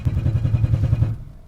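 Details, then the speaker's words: Ford Ranchero on a road trip: steady low thumps about eight a second that fade out, a starter motor clunking loose on its mount, likely from a missing mounting bolt. "I think the starter's falling out. Oh, okay, yeah. It's not loose, it's falling off."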